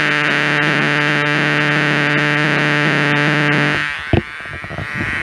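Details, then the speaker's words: Homemade LM386 micro amplifier on 9 V battery (7.9 V), no supply filter capacitor: steady loud buzzing drone with faint music beneath, cutting off near end. Fixed by adding a 10 µF supply-line capacitor. "Kalau didengarkan sih ada suara musiknya sih masuk ya. Cuman ini, oke, ini kayaknya noise ya."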